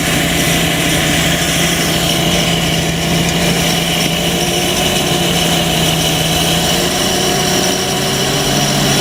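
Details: 4.3 V6 MerCruiser boat engine with new block, suspect rebuilt carburetor, new fuel pump and possible water in fuel, after fixing no-start: steady, even idle with smooth drone, no misses or knocks; normal idle.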